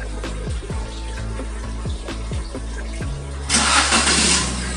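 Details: Car started remotely via SPY two-way keyless alarm with start/stop engine feature: starter cranks in steady pulses about three seconds, then engine catches and settles into a smooth idle. Normal engine start.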